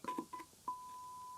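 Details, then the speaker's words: 1965 SABA Stereo I SR16 tube radio: 1 kHz, 1 V RMS tone injected at an output pentode anode pin, scratchy contact clicks then clean steady tone from speaker; output transformer passes signal fine. "can you hear that that's one of the anodes of one of the pentos in that tube and eight is the other one brilliant one of those Transformers is fine"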